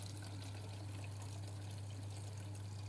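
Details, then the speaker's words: Central heating circulating pump after its stuck impeller was freed (downstairs radiators had stayed cold): steady low hum with a faint watery rush; pump now running normally. "that is a working pump and now the water will travel now all the way through the pipes"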